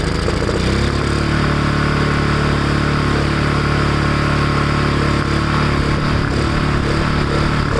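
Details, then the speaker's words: Ariens push mower with Kohler Courage XT-6 single-cylinder engine, low on oil, just started after repair: steady, even putter with no knocks or rattles; runs normally, carburetor cleaning still considered. "um but it runs that's awesome"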